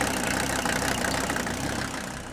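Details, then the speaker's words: Mercedes W126 300SD diesel, replacement engine with unknown miles, started after 10 years sitting, turbo whine, exhaust smoking badly: uneven, lumpy idle clatter with irregular knocks; rough idle, possibly gummy rings, valves out of adjustment or sticking injectors. "the other thing I want to keep a real close eye on is this exhaust you can see it smoking quite badly you got to remember how long this engine has sat it could have gummy rings valves out of adjustment could have sticking fuel injectors and whatever"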